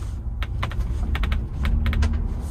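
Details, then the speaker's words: 2021 Ford Bronco First Edition with the factory mold-in-color hardtop, never removed: sharp irregular pops, squeaks and creaks from the roof panels over low road rumble while driving. "What I'm really talking about is this annoying squeaking and creaking sound that's coming from the roof."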